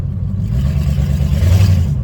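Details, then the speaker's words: 1983 Oldsmobile Cutlass with the Olds 307 V8 on open headers and no exhaust: a loud, deep, rough roar with heavy low rumble and rising revs. Finding: open header exhaust roar. "Turn the volume all the way up. Hear these open headers."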